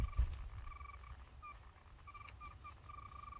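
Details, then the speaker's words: 1971 Datsun 521 pickup at idle, fitted with a non-original alternator believed to be Chevy: short high chirps about every half second over a quiet engine idle, from a loose drive belt slipping that still needs tightening. "you'll notice how little accessories are on this oh my belt is loose"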